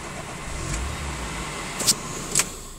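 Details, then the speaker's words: Daihatsu Terios 1.3 Plus, failed MOT, odometer reading 74,994 and likely broken: short crank catches quickly into a low, quiet, steady idle with a couple of light clicks; clean start, rev counter working. "As you can see, she starts up okay. Rev counter's working. Rev counter's fine."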